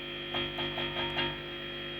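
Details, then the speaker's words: Behringer V-Amp Pro with mains hum and microphonic noise. A steady buzzy hum with clicks appears when the input is left open, because the input jack's shorting contact fails to switch to ground. The hum vanishes with a plug inserted. "alright so now what I've done is I've taken a guitar jack and I've inserted it in there and all that hum is gone when I pull it out well it's back"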